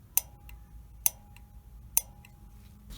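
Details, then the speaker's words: Honeywell gas valve on a water heater, control board removed, main burner valve tested by pin: sharp single clicks about once a second, each followed by a faint hum; main burner solenoid opening normally. "so listen to this you hear that clicking that pilot valve is opening up and working so now we're going to test the main burner valve and you'll hear the same thing if it's working it will click you'll hear a clicking noise which is that valve opening up"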